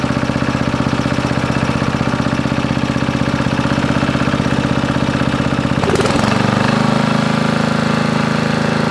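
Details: Briggs & Stratton 13.5 riding mower engine bolted to bench, gas fed to bowl, earlier flooded, mouse nest inside: single cylinder chugging unevenly about 2.5 beats a second, surging and stumbling; bogs and stops, owner suspects flooding/hydrolock or mouse nest.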